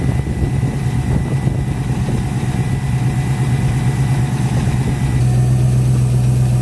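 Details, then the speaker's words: Ford Capri V8 idling slowly with very low oil pressure, around five, and a low uneven knock through its rumble; bottom-end damage is feared, and the exhaust is being ruled out first. "she's jumping to the worst-possible-case scenario possible which is that the bottom end of the engine or something inside the engine it's causing this noise it's knocking noise"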